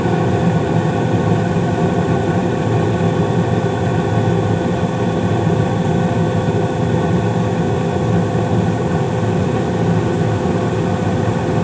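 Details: 2016 Carrier gas furnace (second floor), five years old, blower speed raised from medium-low to medium-high for heat: smooth constant roar with steady blower hum, no rattles, squeals or surging; firing and running normally.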